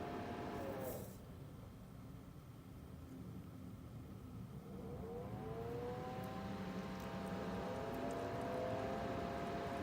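A wavering whine that rises and falls over a steady hum from the cooler. Too loud to be normal, but the cause isn't clear.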